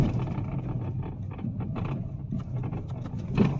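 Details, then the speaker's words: Hyundai Verna being driven on a bad road, with irregular dull knocking from the steering column reduction gear heard in the cabin; it is silent on smooth road. "এয়া শুনিছে কলমৰ পৰা কট কট কট কট কট কট কট কট বজি আছে এইটো বেয়া ৰাস্তাতহে বাজে"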